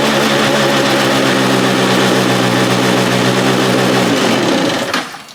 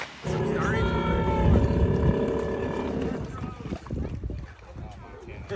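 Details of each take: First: Free stand-up jet ski, two-stroke, out of water on a flushing hose after carburetor fuel pump parts were reassembled correctly to fix bogging and not revving: steady, even high-pitched drone then clean shutoff; running smoothly. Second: Free stand-up jet ski on its lake test: it revs briefly, then sags and sputters and won't rev up, bogging down. A carb rebuild and other checks are planned; cause not confirmed.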